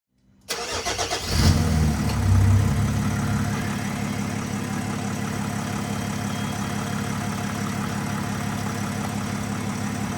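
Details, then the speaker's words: Nissan Navara V9X 3.0 dCi diesel after replacing the crank pulley (harmonic balancer) that rattled against its metal sleeve with AC on; quick start, smooth even idle, no rattle with AC on: normal idle. "absolutely no noise Zer Z zero noise made as you guys can see right now no more noise when the AC is on so fixed"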